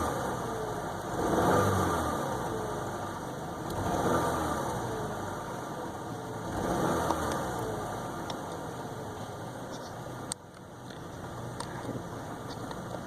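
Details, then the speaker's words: 2010 Chevy Malibu 2.4 Ecotec DOHC that stalled with cam actuator codes. A cylinder 1 misfire code appeared on a test drive and persisted. Low, uneven idle sags and stumbles every couple of seconds. "so I took it a little small test drive and you've got a cylinder number one misfire detected"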